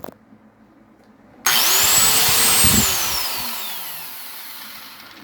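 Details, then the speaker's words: Repaired electric grinder on a single-click test after the armature resistance and body ground checked okay. A short click, then a high whine that spools up and winds down evenly with no wobble or rattle; the remaining noise is normal. "Ayan guys, gumana naman siya, wala siyang wiggle. Yung ingay na normal na lang yun."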